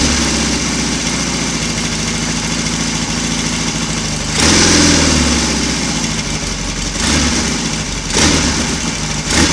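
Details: Royal Enfield Constellation twin on a cold morning, both cylinders running from one carburetor whose jetting still needs attention, slightly sticky throttle cable: even twin idle with a steady beat, then two clean blips that rise and settle without hesitation; normal idle and revving.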